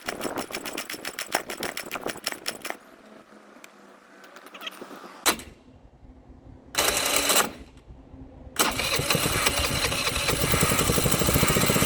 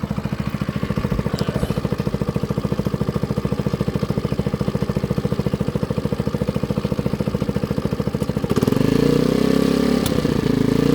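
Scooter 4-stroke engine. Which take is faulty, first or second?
first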